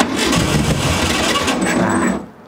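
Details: 1968 Volkswagen Beetle barn find, sat over 20 years: steady starter churn about two seconds with rough uneven firing attempts, then stops without catching; runs on a later try.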